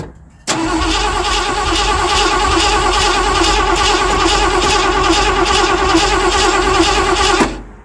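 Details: 1979 Ford F-100 that sat for years, gas being poured into carburetor: starter churns steadily about three beats a second for seven seconds, never catches; cranks, no start.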